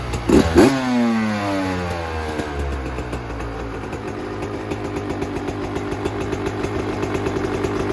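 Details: 2024 Yamaha YZ125 two-stroke after fitting a new FMF pipe and silencer, JD jetting kit, Castrol full-synthetic oil and new fuel mix to cure jetting problems and fouled plugs: fires up with sharp blips, then a crisp, even ring-a-ding idle with deeper exhaust note; healthy.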